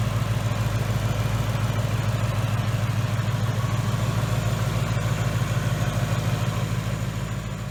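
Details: 2018 Ford Mustang GT running after a new engine install with a Mishimoto radiator: deep, even V8 idle with a steady lope and no knocks, ticks or misses; normal idle.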